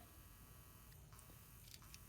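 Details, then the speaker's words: 2000 Dodge Grand Caravan blend door actuator motor, after repair with the gears reassembled, battery reconnected. It was previously too weak to move the door, leaving lukewarm heat. Now a quiet, steady, even buzz with no clicking or gear skipping; runs normally. "and then now you can see it's spinning and so I had an issue before with it being too weak and boom and you can see it's it's not any longer"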